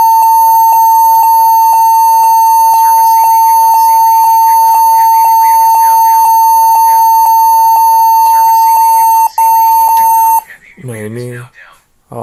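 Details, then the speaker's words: HP 14s-cf2 laptop on power-on: steady high beep repeating about twice a second, many times; cured by setting BIOS to UEFI boot with GPT partition on the drive. "jadi di sini ada sebuah laptop kemudian dia laptopnya berbunyi BIP BIP BIP BIP itu e banyak sekali banyak berkali-kali"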